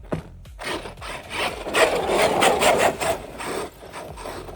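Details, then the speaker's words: Traxxas Maxx V2 RC truck on 6S with M2C motor mount, running in tall grass and flipping: rough, gritty grinding swells from the drivetrain; owner suspects sand in the CVDs. "Something kind of sounds like it's going out, I don't know. You heard that, right? I think it's just sand in the CVDs."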